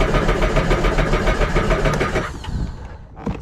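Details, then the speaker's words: Sea-Doo four-stroke being winterized: spark plugs out, throttle held in drown mode (fuel cut) after fogging oil, cranked about 3 seconds; even starter chug with no firing, cranking without start. "We'll just hold it in drown mode and then crank it for another 3 seconds. So we'll do that real quick right now."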